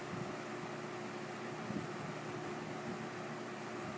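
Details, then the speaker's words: New-old-stock Superlectric 2072 two-speed box fan with plastic-shelled motor on high speed; steady air rush with low hum, slight whine at startup, owner thinks it may go away. Cause unclear. "probably might have heard the motor does still have a little bit of a wine to it when it starts up then has kind of a hum when it runs but that may probably go away in time"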